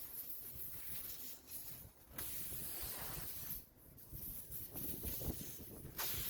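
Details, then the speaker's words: Tire with a screw in the tread, just pulled out with pliers: thin, high hiss of air escaping through the puncture, broken by scraping as a rasp tool is pushed into the hole to prepare it for a repair plug. "Step 2. Use pliers to pull the screw out. Right away you'll hear the air escaping, so move quickly to the next step."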